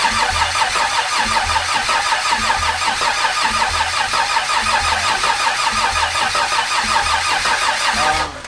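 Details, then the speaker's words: Barra-swapped Ford Mustang GT350 on first start attempt with Haltech ECU: starter cranks steadily about three turns a second for eight seconds without firing; crank no start, team suspects it isn't getting fuel. "Can you check over there if it's doing anything on the computer? It doesn't sound like it's getting fuel."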